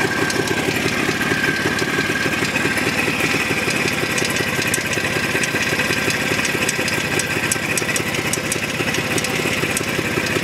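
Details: Jawa 634 two-stroke motorcycle at idle: steady, rapid rattling knock over the exhaust beat; unchanged with spark plugs removed, gone when driving, ignition fine; owner suspects primary chain.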